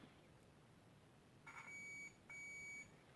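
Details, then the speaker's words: Philips Brilliance 220SW (HWS9220I, May 2009) LCD monitor with a backlight fault: two short, high-pitched meter beeps show continuity across a capacitor near the CCFL high-voltage transformer. A short is suspected, not confirmed. "noticed that basically this capacitor here which is located near the one of those high voltage transformers that drives the ccfl tubes that it beeps yeah so you can hear that it beeps so it means it has to be in short circuit"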